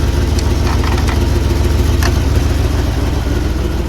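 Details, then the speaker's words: 1979 Jeep Cherokee AMC 360 V8, idling after sitting 3 years, before first drive; carburetor barely working. Deep, even idle with regular low beat, no misses or knocks; owner says it sounds like it's hitting on all 8, normal. "Listen to that 360 purr, guys. If it's not hitting on all 8, I don't know why it wouldn't be. It sounds like it is. It sounds like it's hitting on all 8 to me."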